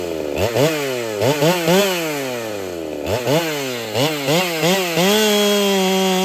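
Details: Ported Holtzfforma 395 chainsaw, quiet-running, repeated cuts: revs and bogs, then holds high steady scream with faint muffler hiss; owner suspects muffler isn't flowing enough.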